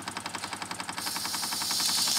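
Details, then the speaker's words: Wilesco D6 model steam engine, pressure bled off by opening the whistle: sharp regular beats about seven a second with rising steam hiss; running slowly and evenly at low pressure. "now I'm going to open the whistle up a little bit here to lose some pressure we'll see how slow we can get the engine to"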